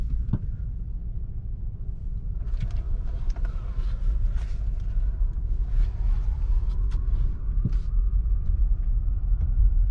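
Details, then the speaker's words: 2009 Nissan Versa 1.8L driving: heavy, uneven low rumble under acceleration and the car shakes, running like it is on 3 cylinders; the check engine light later flashes; a bad coil pack on cylinder 4 causes the misfire (P0300, P0340). "So it began as an intermittent misfire, but you can hear it's sounds like it's only running on 3 cylinders right now."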